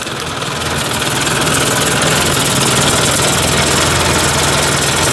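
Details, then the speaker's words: Warm Ford 800 tractor four-cylinder after fuel tank install, oil pressure about 35–40 psi, idle around 600: runs smooth and even with no misfires or knocking; running well. "hey that sounds like it's running pretty good"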